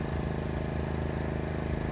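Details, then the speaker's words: Brand-new Pulsar 4000 W gasoline inverter generator, first run after a one-pull recoil start, on low idle, phone recording from the driveway: low, even, steady deep thrum with no knocks or surging. Normal idle. "Not too loud, it's on low idle. But dang, guys, 1 pull on a fresh new, brand new generator."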